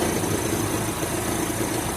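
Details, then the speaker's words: Chevrolet Zafira at idle after AC compressor coil replacement, pulley bearing OK: faint rhythmic chatter over steady hum that stops when the tensioner is assisted with a wrench; accessory belt tensioner not tensioning properly. "Então ele não está tendo a função dele de tensionar a correia corretamente."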